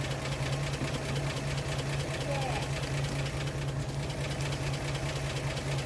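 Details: 1937 Pontiac Silver Streak barn find, long sitting, revived after filing the ignition points: low steady idle with an even, soft rhythmic beat and no harsh knocking; running smoothly again.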